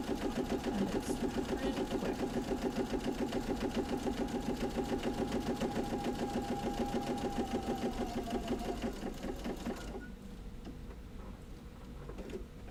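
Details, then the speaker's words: Sewing machine stitching a quarter-inch seam around a gift pot holder, with a little backstitch: even, rapid stitching about three and a half beats a second for ten seconds, then a clean stop; normal, healthy sewing. "I'm just going to sew a/4 inch almost all the way around. Back stitch a little bit."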